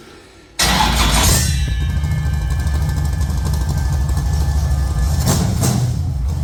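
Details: Rebuilt V8 race engine, first start after fitting with oil pressure confirmed: cranks and catches at once, settles into a deep even burble with no knocks or misses; healthy start.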